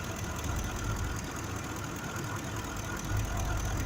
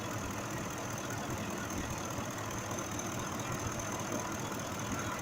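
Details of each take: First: 2005 Ford F-150 5.4 V8 idling, injector waveform missing the curve on the faulty cylinder: low loping idle stumbling every few beats; misfire from mechanically faulty cylinder 2 injector, replaced afterward. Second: 2005 Ford F-150 5.4L V8 after repair: steady even idle with no stumble over nine seconds, fuel trims correcting; problem was mechanical, not electrical; normal idle.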